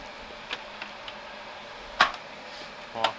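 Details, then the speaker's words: HP laser printer using a refilled CF218A/CF217A/CF230A-family cartridge, test run after refill: a quiet room, a few soft ticks and two short crunches about a second apart, which is this HP model's normal feed-mechanism crunch. "Там у него такая нормальная работа. Уже не первый принтер к нам приходит."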